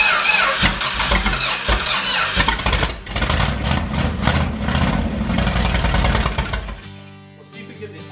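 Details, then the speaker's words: 1978 motorhome 440 big-block V8 on engine run stand for 1974 Plymouth Cuda, not run in years, first start: catches and settles into a strong, even run with steady beat, no knocks or misses; healthy. "all right it should be getting fuel now that sounds good sounds amazing"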